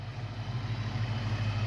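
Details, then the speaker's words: 1992 Ford Mustang LX 5.0 V8 convertible, parked over 10 years, idling after being driven and spinning both tires: low, steady burble with no ticks, knocks or stumbles, purring like a kitten; normal idle. "Purring like a kitten."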